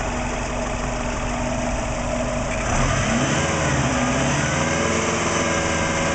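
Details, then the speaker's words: Warm engine at operating temperature after about 10 minutes running, steady 20 inHg vacuum, about 38 psi oil pressure at idle: stable idle with light valvetrain and injector ticking and no deep knock; earlier suspected piston slap gone, sounds healthy. "idle perfectly stable oil pressure the most important thing it's hard to see but that is at I'm try and cover the that's at 40 well say 38 PSI for idle which is normal for when I'm at operating temperature"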